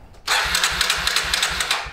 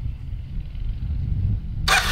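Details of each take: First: 2000 Kawasaki Super Sherpa 250cc single, sat for years, cranks but won't start; about half a millilitre of gas added directly as a test: starter cranking about five beats a second with a sharp backfire pop, never catching; no-start, carburetor suspected. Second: 2000 Kawasaki Super Sherpa 250cc single that sat in storage for years and would turn over but not start, started on choke: the starter whirs briefly, then the engine catches into a quick, even, healthy putter.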